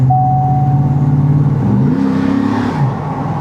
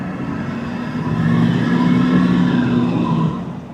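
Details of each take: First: GMT800 truck, pulling away: a deep, smooth V8 burble rising cleanly with no rasp, leak ticks or drone. The exhaust sounds right. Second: GMT800 truck (Hummer H2 SUT, Avalanche 2500 or Escalade EXT) driving under load: thin, wavering squeal like a cat screaming over the engine, fading as it eases off; source unknown, no dash warning lights.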